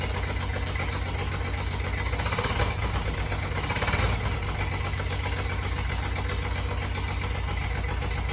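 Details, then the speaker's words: 1988 Jeep Comanche MJ 4x4 first start after years sitting, with cleaned fuel tank, new fuel pump and lines, starting fluid into throttle body: uneven, lumpy idle with stumble and pops, sounds down a cylinder; rough running. "And I got to be honest, when it first did, I really didn't like the way it sounded. It almost sounded like it was down a cylinder or something."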